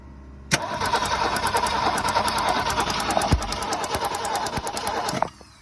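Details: 1965 Ford Falcon two-door post, six-cylinder, parked since the mid-90s, start attempt after points sanded with 320 sandpaper and a hot wire hooked up: starter cranks at an even, steady beat for about five seconds but never catches, cranks with no fire.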